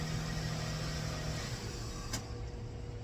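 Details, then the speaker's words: 2004 Toyota Avalon cold start after the timing was reset (it had been a tooth off) amid O2 sensor wiring repairs: the engine sounds good but runs a little rough with a slightly uneven beat; owner bets it is not the O2 sensor. "It sounds really good on a cold start. A little rough, but I bet you it's not O2 sensor."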